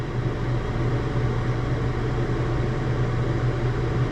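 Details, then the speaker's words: Natural gas garage heater converted to propane, first fire-up on a temporary circuit and thermostat: steady low hum from fan and burner, no rattle or surging, as the exhaust fan kicks in; running normally. "No, it's turned on. There it goes. Exhaust fan just kicked in."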